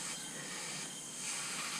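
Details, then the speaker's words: Mazdaspeed 3 leakdown on cylinder 3 (P0300 misfire, low compression), 100 psi in and holding 20: a steady, strong air hiss rushes out of the open intake. Leaking intake valve. "Oh yeah, 100%. This is coming out of the intake, guys."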